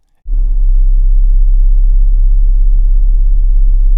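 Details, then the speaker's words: 2026 Chrysler Grand Caravan SXT, warm engine, brake on, transmission in Drive: a deep, steady booming rumble in the cabin at about 32 Hz, very low and even. It is quiet when first started cold; cause unknown. "But after the engine warms up, if I come to a red light and put my foot on the brake and leave the transmission in drive, it can be very loud."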